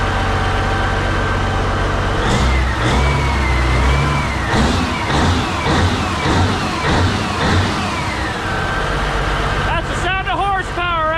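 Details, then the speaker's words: CAT 3412 twin-turbo diesel, spare engine from a 992D wheel loader, on a test run with water about 80–90°: revs strongly and evenly, no knocks or misses, zero blow-by. Healthy, normal running. "there baby check that out zero Blow by that's a healthy motor right there zero Blow by water is like lukewarm now"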